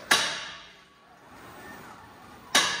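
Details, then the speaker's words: Tesla Model 3 steered at standstill: two loud, sharp metallic clacks about two and a half seconds apart; the clack comes from the front axle suspension, exact spot not yet found. "es kommt definitiv vom der achsaufhängung wo genau wissen wir noch nicht"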